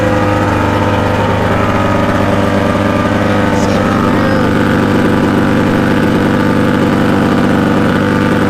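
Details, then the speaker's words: Mercury 50 HP outboard on a 1989 16 ft Lowe boat, cold, running on flush muffs, impeller about a year old: fires right up into a steady, even idle with a smooth low hum and no misses, knocks or rattles; healthy, normal idle. "But I mean, it fires right up."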